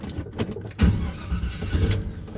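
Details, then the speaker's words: 1978 Chevy C10 with a 350 and Turbo 400, fitted with a 4.3 starter: brisk, even cranking whirr with strong low thumps, no dragging; starter spins the engine fast and healthy. "he put a 4.3 starter on this 350 and man it just whizzes the motor it sounds good it's not slow and uh it does a good job"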